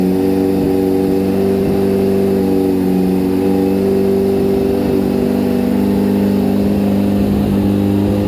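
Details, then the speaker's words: 2004 Kawasaki ZX-10R, lowered and just finished being built, after only a brief earlier warm-up: cold start and revving with a crisp, even four-cylinder note and clean rev rise, no knocks or rattles. Normal and healthy. "You guys want to hear this thing run. This is a cold start on 04 ZX10R."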